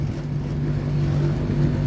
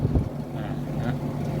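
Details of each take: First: LG condo air conditioner on R410 with weak cooling: the compressor gives a loud, deep droning hum with buzz and a shaking rattle; the condenser fan spins slowly, possibly a capacitor fault; current about 3.8 A; poor heat rejection. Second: LG condo air conditioner outdoor unit (R410), after repair for weak cooling, loud compressor and slow fan: steady low hum with strong airflow blowing about a metre, no rattle or labouring; current about 3.24 A, lower than before; fan running healthy.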